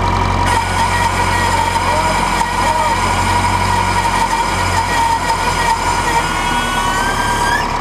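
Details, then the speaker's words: 1968 John Deere 3020 Power Shift tractor after a front-end loader replumb, restarted after fitting an extra O-ring on the closed-center plug: a steady high screech near 1 kHz holds over the idling diesel. The loader pressure relief needs adjusting; the owner suspects the closed-center plugs. "so we're gonna try and start it up again and see if it still screeches like holy heck probably will"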